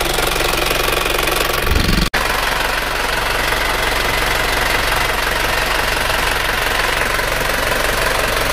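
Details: Isuzu Panther 2.5 diesel at idle during a light service tune-up with timing adjustment: even steady clatter, regular knock rhythm, no hunting; engine idles smoothly.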